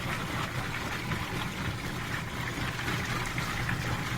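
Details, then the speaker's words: Whirlpool direct-drive washer that previously would not spin or agitate, now filled with water after repair with the lid switch bypassed: steady swishing agitation over an even motor hum with no knocking or grinding. Normal agitation after repair. "I filled it up with water and a good agitation it's normal"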